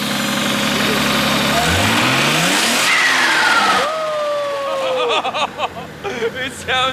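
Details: RB25DET swapped into a Nissan R33, warm: revs up cleanly and falls back smoothly, no belt whine or ticking; sounds healthy, random misfire still unresolved.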